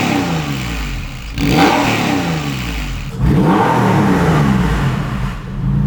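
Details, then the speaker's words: Porsche 911 996 flat-six after IMS bearing and RMS work and a new lightened flywheel: sharp blips that rise and fall quickly, smooth and even, with the earlier start-up tapping/knocking gone; revs freely and sounds healthy. "Definitely more responsive. Really more responsive. It revs up quicker and drops quicker than it did Yeah. before with that heavy flywheel."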